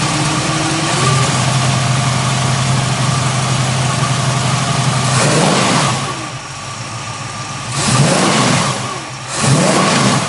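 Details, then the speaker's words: 1967 Chevrolet Camaro with a 350 small-block Chevrolet crate engine, 650 cfm carburetor, Edelbrock intake, Borla dual exhaust: deep, steady V8 idle burble, then three clean blips that rise and fall crisply, no knocks or misfires; normal idle and revving. "So what we'll do next is go ahead and lower this down off of the lift, go underneath the hood, and we'll fire up that motor and let you hear what that crate motor sounds like."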